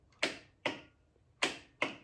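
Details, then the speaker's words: Triumph Spitfire engine on a test stand with a push-button start wired through a fuse box: four crisp metallic clicks in two pairs as the starter solenoid pulls in cleanly each press; normal solenoid click. "you hear that that means my starter solenoid is engaging so at that moment at that point I should be able to go ahead and fire up the starter"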